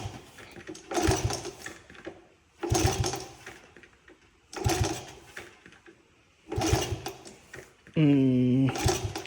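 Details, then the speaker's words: Honda CT70, 4,600 original miles, fire-survivor that sat about 40 years, first start attempt: kick-over bursts with good compression chuffs but it never catches; owner plans to pull the carburetor. "I do believe this did run when it was parked, but it does not sound like it wants to fire."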